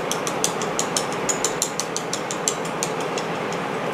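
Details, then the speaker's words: Braillo braille embosser magnet rack after changing the foam and pivot arms: sharp light clicks about three per second, slightly uneven. The sponge gap on one side is too low, and raising the rack slightly more stops the clicking. "so on this side you can hear it's good in this side you can hear it still clicking a little bit so you just want to raise this up just a little bit more okay so now no more clicking"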